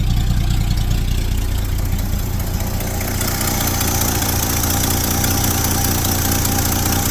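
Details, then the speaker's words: 1972 Chevrolet C10 pickup with a new distributor, still cold, exhaust needing repair: low, even V8 rumble holding steady with no misses or knocks; normal idle. "It's idling pretty good, isn't it?"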